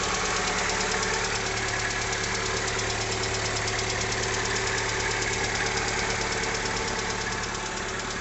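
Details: 2020 Lada Largus, 21129 engine, 3300 km, morning cold start; steady rapid ticking knock about three a second at idle, intermittent cold or warm; factory-defective cylinder head, replaced under warranty, then engine replaced.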